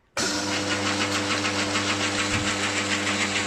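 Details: Lathe fitted with a new 1 hp motor, replacing a 1/4 hp motor whose bearings were thought gone and noisy: clean switch-on, then a smooth, even, steady-pitch hum without rumble or grinding; new motor sounds much clearer, running normally.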